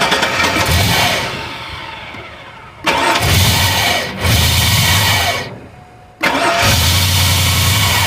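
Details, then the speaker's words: 2002 Chevrolet Avalanche, 5.3 Vortec V8: repeated multi-second bursts of starter cranking with pauses between them, and the engine never catches. It cranks but will not start. "Nope, I'm still dead. I want to try and crank it up again."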